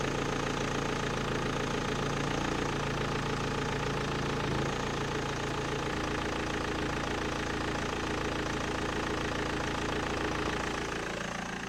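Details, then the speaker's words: 2005 BMW 1 Series E87 M47 diesel, 400,000 km, cold start with mic in engine bay: even clatter, steady idle, no timing chain rattle; possible squeak from alternator belt or pulley. "It's not that bad. No rattling from chains. A good sign."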